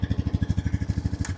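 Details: 2013 Honda Rancher 420 ATV after replacing bad starter solenoid that caused no-start: engine fires and settles into an even single-cylinder thump about eleven beats a second; starts and runs fine.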